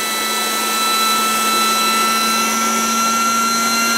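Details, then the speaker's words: Coleman air mattress being deflated by an electric pump that sucks the air out before folding: steady high motor whine with fixed tones swelling slightly as the mattress empties and the pump labours against suction, audibly struggling. "you hear it struggling that's got it now i'm gonna fold it up"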